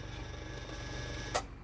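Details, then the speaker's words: 1960s(?) Superior Electric Model 808 desk fan after oiling: quiet run with a low, steady 60 Hz motor hum and one brief click. This hum is new and changes when a part is repositioned. "60 HZ hum that this did not have before I can move that and it'll change see so I guess there's a specific position this is supposed to be in in order to minimize the noise"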